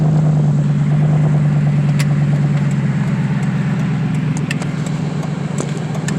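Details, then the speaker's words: FWD Lincoln with a rebuilt but unsuccessful automatic transmission, running only with the mass air flow sensor unplugged. Under hard throttle the engine holds a high drone without picking up cleanly, sounding like a boat: the automatic is slipping. "Holy shit, it shifts hard. Just kidding, it's slipping. Sounds like a boat."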